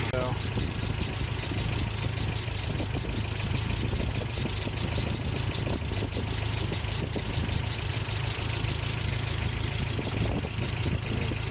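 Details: 1988 Toyota Pickup 22R four-cylinder, Aisin carburetor, after timing chain, water pump and oil pump replacement: even steady idle, smooth low throb, no knock or chain rattle; earlier kept stalling, now healthy.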